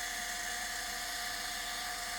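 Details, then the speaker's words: Litter Robot 3 drive motor: high steady whir with faint raspy chatter that disappears under load; grease on first and second gear reductions but their shafts are very dry, risking over-torque faults and gearbox wear. "here's an example of a drive motor for a l robot 3 that has lost most of its lubrication on the first and second gear reductions in its transmission you listen carefully you'll hear it chattering kind of a way I describe it as"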